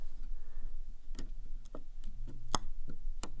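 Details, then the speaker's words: Lutron Maestro fan control and light dimmer wall switch: sharp, irregular popping and buzzing over a faint low hum as the dimmer is moved, with occasional small flashes inside; suspected arcing, cause not confirmed. "the popping in here sometimes you'll see a little Flash in there and you'll hear buzzing"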